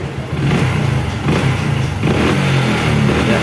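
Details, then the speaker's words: Honda Supra X 125 fuel-injected after repair of black plug, black exhaust smoke and high fuel use, ECU reset done: starts quickly, revs freely with clean, even exhaust note, no misfire or stumble; combustion now dry, running properly. "oke teman-teman Ini motor sudah beres ya sudah beres ya Pak Dani Insya Allah pembakarannya kering sekarang ini"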